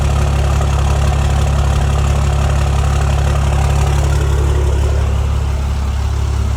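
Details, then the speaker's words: 2008 Cummins diesel, first start after a major engine failure and fresh engine install, oil primed beforehand: deep, steady idle with an even beat and no knocks; oil pressure 70 psi, sounds healthy. "I'd say that's the job well done D it right up and she's purring like a kit"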